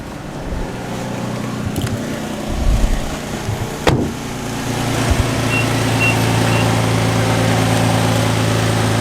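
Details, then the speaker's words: 2006 Infiniti G35 V6 idles with a constant raspy puffing that doesn't fade as the engine warms, indicating a large hole; exhaust leak at a cracked flex joint under the car, a common high-mileage failure point. "this never goes away so typically what that means is there's a pretty big hole somewhere"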